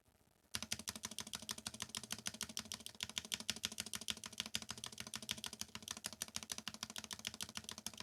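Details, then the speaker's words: Novelkeys NK87 Entry Edition keyboard, polycarbonate plate, lubed Gateron KS9 switches, NicePBT keycaps, stock stabilizers replaced with lubed Durock V2: steady typing about three strokes a second, crisp even clacks, no wire rattle; quiet stabilizers. "okay we have all the stabs in place and this is going to sound so much better so much better i hope yes that definitely sounds better"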